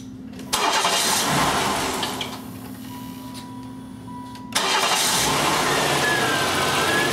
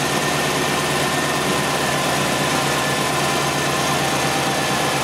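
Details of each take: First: 1993 GM 3.1, started after the battery had been disconnected: catches, dies within two seconds, then restarts and settles to a steady idle; normal start-stall until the idle relearns, and the alternator then charges at 14.2. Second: 1993 GM 3.1 with a newly installed engine computer and a brand-new battery, idling with headlights, rear defogger, blower on high and AC all on: idle stays smooth and even with no sag or hunting; the charging system is good.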